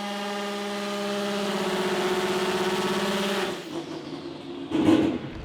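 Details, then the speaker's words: McLaren P1 GTR drift conversion with newly fabricated components: strong steady engine note breaks up and wavers unevenly as revs drop; unusual flutter on RPM change, cause unknown. "Despite the newly fabricated components, something is still wrong. And they've noticed an unusual flutter in the engine as it changes RPM."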